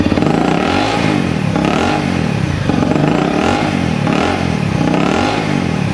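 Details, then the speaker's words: Honda CRF250L, warm, after replacing parts flagged by the ECU. The idle is still high and erratic, surging and dropping about once a second, with blue smoke. Hunting high idle, cause unclear. "so i've still got a bad idol it's a lot better than it was but it's still not right no it's still not right"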